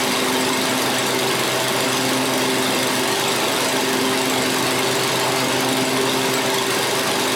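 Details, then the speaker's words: 7-year-old Craftsman 28-inch walk-behind, left out over a year with broken cables, after repair: steady, even high-pitched drone at 3240 rpm while warming up, no misses or surging; good rpm, sounds healthy. "3240, that's a good RPM. It sounds good."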